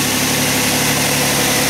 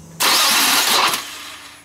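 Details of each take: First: 4th-generation Nissan Maxima after starter replacement (old starter gave slow, unusual-sounding crank): engine catches and settles into a steady, even idle with no misses, knocks or starter grind; runs healthy. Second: 4th-generation Nissan Maxima, battery fully charged: brief harsh, hissy grinding whir from the starter that dies away without the engine catching; failing starter, Bendix suspected of hanging up, slow crank.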